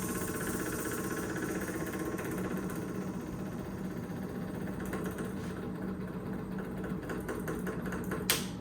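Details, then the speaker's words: Freshly rebuilt Triumph TR6 engine before first start; ignition on, electric fuel pump ticks rapidly, easing gradually as the carburettor bowls fill, priming normally with no leaks or flooding. "Okay, I think we're full and there's no leaks underneath, which is good. No flooding. Smells like fuel."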